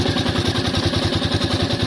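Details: New Royal Enfield Meteor 350 idling: steady single-cylinder thump with a light metallic clatter on top, tappet noise; service centre said it is tappet noise.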